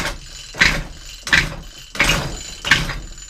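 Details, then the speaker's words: Efco strimmer, primed and fuelled, pull-start attempts: four harsh scraping pulls with a gritty catch each, shaft spinning too; something catching inside. "Don't sound very good. That's a certainty. Sounds like something is catching."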